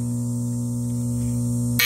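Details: Whitewater DF aerobic septic system after replacing charred Intermatic timer: steady low electric hum with even overtones; aerator running normally.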